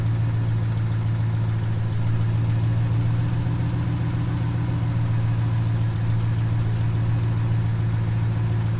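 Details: 2015 5.7L HEMI V8 idling after water pump and thermostat replacement and coolant refill, started to check for leaks: smooth, even deep rumble, no wobble, squeal or knock; engine running normally.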